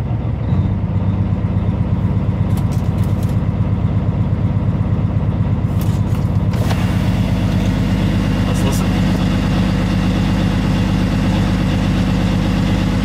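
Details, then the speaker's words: Heavy truck diesel after repair of a fault when fully warmed up, codes cleared, brought back from 800–1000 RPM to 700 RPM low idle: steady deep even rumble, smooth idle with no skips or stumbles. "okay let's bring the idle back down to low idle 700. I don't hear it so before I hear complete smooth idling see what happens further down the road"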